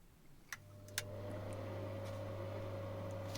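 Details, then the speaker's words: Inline bathroom/kitchen extractor fan after being pushed into flexible tubing and hung in foam rubber to stop contact noise with wood; after switch clicks it spins up to a steady, smooth low hum with no rattle; normal fan running. "And now you hear only the ventilator and not rrrrrrrrrr etc."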